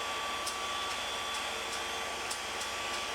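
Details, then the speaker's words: MAHO 400E CNC milling machine vertical spindle head running: high steady whirr with irregular metallic rattles about twice a second, like coins in a washing machine; suspected failing spindle bearing, head to be removed and inspected. "kind of sounds like gold coins bouncing around in a platinum washing machine at least I'm guessing it's going to be expensive sounds like a bearing noise anyway"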